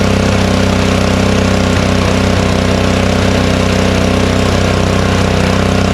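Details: Honda snowblower, unused since the last snowstorm, started choked on the first pull with the fuel shut-off closed so it runs the carburetor dry: loud even chugging at steady speed, no misses yet; running normally.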